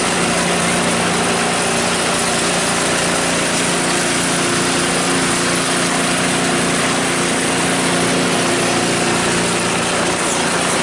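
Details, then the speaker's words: Cub Cadet 5 24 snowblower running after weak-drive repair, drive now much stronger: steady, even mid-pitched engine drone with no misses or knocks; running healthy. "Yeah, much stronger."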